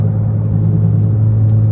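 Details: Renault Megane front wheel bearing: steady, deep droning hum with no change in rhythm, a worn bearing that roars and needs replacing.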